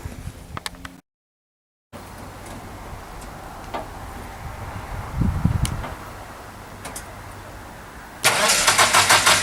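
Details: Restored Land Rover Series 3, completed and about to take its first drive, with a few teething problems still being sorted: after a quiet stretch the engine cranks and catches near the end, settling into a steady even run; normal start.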